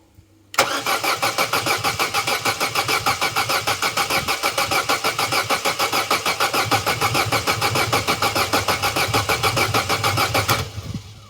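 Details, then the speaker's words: Vauxhall Corsa B sat 4-5 years, after fitting a new battery: brisk, even cranking for ten seconds with no slowing but never fires; healthy crank, no start, engine note changes slightly when accelerator pumped. "that's a good healthy turnover good healthy crank but no go we need the things that make it go"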